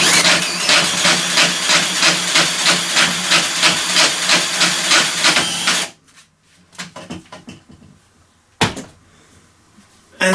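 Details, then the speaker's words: Stihl 145° pole trimmer head (700mm) driven clockwise by a drill at maximum speed on the shaft; rapid, even clatter about three times a second that stops with the drive, caused by worn gear teeth (cog) under the cover: worn gear teeth. "the easiest way I found to test them is setting my portable drill onto maximum speed connecting it to the shaft and remember these turn clockwise cuz if you turn it anticlockwise you'll also get a noise"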